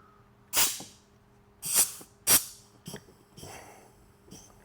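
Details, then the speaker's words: 4L80E transmission on the bench, air blown into input shaft hole to apply forward clutch, checking sealing rings: three sharp air blasts each with soft thump of clutch piston applying, no steady leak hiss; normal clutch apply. "I blow air in this hole, and it'll apply the forward clutch. Let's see if I can do it really quick."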